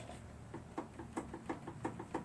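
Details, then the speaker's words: Troy-Bilt 1842 Super Bronco lawn tractor after engine repower, weak battery, ground jumpered: quick sharp clicks about four a second with no cranking; old 3-post starter solenoid bad, replaced with 4-post solenoid, then starter cranked. "you still can only hear it clicking, which means the solenoid is bad."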